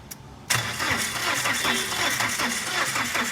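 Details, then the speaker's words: Tata Winger diesel that will not start after its timing belt broke: starter spins the engine quickly and very freely with no compression pulses and no firing; bent valves, number one cylinder valve bent. "इसलिए car में आरंभ करना एक समस्या है। Car शुरू करना नहीं। शुरू करें, यह देखो। का इंजन बहुत स्वतंत्र रूप से घूमता हुआ।"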